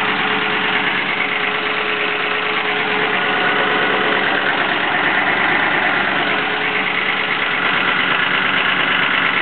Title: More engine noise, without the exhaust leak...